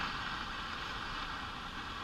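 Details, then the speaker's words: Arvin tube radio powered up after replacing a defective 50L6 tube: steady hiss and crackle cover a station with no clear program, and the volume control makes no difference; owner suspects bad capacitors and possibly resistors, not confirmed. "lot of noise and static though that's probably just the bad caps and who knows how the resistors are as well"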